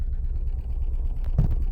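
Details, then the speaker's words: 2015 Nissan Note with rough idle, sluggish acceleration and check engine light, heard at the tailpipe: deep, uneven exhaust puffing with occasional heavier thumps and engine shaking, a clear misfire; ignition coil suspected faulty. "That is a miss. No questions asked."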